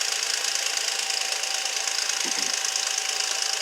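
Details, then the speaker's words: 2006 Nissan Altima, about 200,000 miles, oil recently changed, after plug change for a P0300 misfire: fast, light metallic rattle about three a second over a hissy idle, subsiding as the engine warms; suspected timing chain tensioner, possibly guides, not causing the misfire. "It might actually be guides, who knows, but I think it's just a tensioner. So the noise is definitely subsiding."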